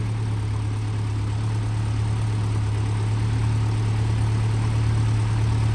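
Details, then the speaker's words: Land Rover Series 2¼ petrol engine after valve stem seal replacement and valve overhaul, just started from cold: deep steady low idle, even with only slight unevenness; owner notes they can be a bit lumpy from cold; normal idle, sounds nice. "pleased with how that sounds sounds nice started off from coal they can be a bit Lumpy from cold sometimes"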